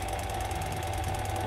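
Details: Yuasa TH550B-2 550 W industrial sewing machine servo motor, minimum speed set to 500 rpm, run by pedal at low speed: smooth, even low hum with a faint steady whine and no knocks or roughness; running normally.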